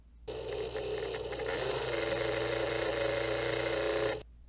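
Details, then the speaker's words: G-Technology 12TB G-Raid external hard drive, small rear cooling fan before replacement with a Noctua NF-A4x10, lavalier mic: harsh buzzing rattle with a wavering mid-pitched drone; worn cooling fan bearing. "this is the before sound with the old fan"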